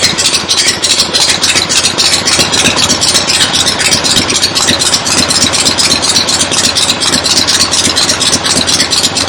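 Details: 1975 Harley XLH Ironhead Sportster V-twin, fresh rebuild, first start outdoors on a temporary lawnmower gas tank: loud loping idle thumping about four times a second, crisp rattly top, settling in; oil return established, oil pump working, normal idle.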